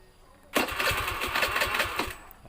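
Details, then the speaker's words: Honda Beat FI scooter with weak fuel pump pressure, tested with petrol fed by a hand-pumped infusion bottle instead of the pump, fuel not yet pumped: the electric starter whirs with quick even compression pulses but the engine never fires. Cranks, no start. "tidak bisa menyala"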